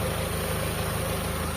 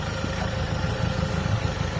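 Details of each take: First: Carbureted car engine after carb tuning and clearing a clogged intake port, previously hard starting: short stretch of steady, evenly pulsing petrol idle with no hunting or stumble, settled at tick-over. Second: Carbureted car engine after tuning, intake port opened: low, uneven idle that stumbles and shakes; the port had given weak vacuum reaction and was found clogged, and the opening acts as an unmetered vacuum leak.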